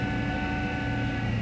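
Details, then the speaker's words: 2000 Ford Taurus wagon running after engine reinstall: steady whine holding pitch over the even engine hum from the remanufactured power steering pump, which sounds like it is dying; engine also suspected running rich. "the power steering unit still makes noise it sounds like it's actually dying"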